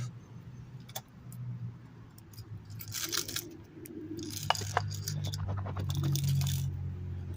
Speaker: I don't know if you guys heard that but that's why I have no overdrive I can hear metal rattling around inside that front planetary so this is probably number one problem